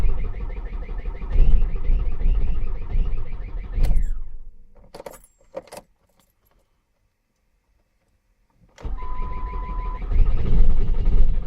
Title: ford mondeo wont start